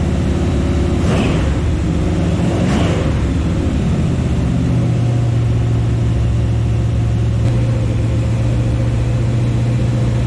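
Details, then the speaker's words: 1974 Chevy Nova with a new Chevy 350 V8 on its first start: a steady, even drone at fast idle with no knocks or misses while the cam runs in. Normal break-in run. Oil squirted from the valve covers because no PCV valve or breather was fitted. "all right well franking over finally runs i'm pretty happy about it"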